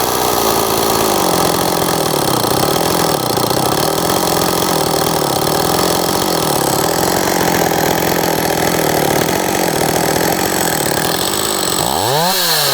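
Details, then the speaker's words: STIHL 026 chainsaw that sat about 10 years, hot after cutting: it bogs and recovers about once a second with a rough, tired note that is worse when hot, with low compression and heavy oil leaking; worn engine with scored cylinder. "And it does sound even worse after it's ran and it's hot like this. I'll just show you that. Hopefully you can hear all the noises here. That's not normal. And the compression's not that great."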